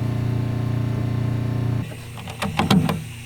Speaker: You can hear the pump running. By switching that, we're directing the water down here. Actually now filling that front tank.